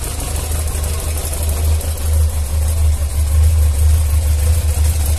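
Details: Yamaha XJ600S Diversion motorcycle engine at a smooth, even low idle with a steady throb and no knocks or ticks after a cold start, recorded after repair work; owner heard little difference from before the repair but considers the engine healthy.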